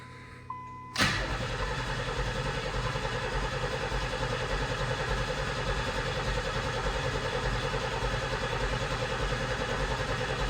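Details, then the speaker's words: 1990 Pontiac 6000 SE AWD, sat 20+ years, first start attempt: starter spins engine steadily at three to four beats a second but never catches; cranks, no start, spark and fuel pressure checks follow. "Survey says no. Hmm. All right, let's see if it has spark. Go ahead and crank it."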